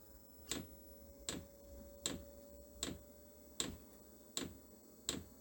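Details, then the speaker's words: Chinese diesel air heater powered by a computer power supply, starting up after glow plug preheat: sharp, even clicks about 78 a minute over a faint fan hum. The fuel dosing pump is ticking normally during a good startup. "Oh, I hear the fuel pump clicking."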